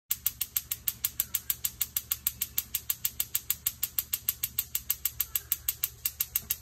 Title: How To Fix A Gas Stove Igniter That Won't Stop Clicking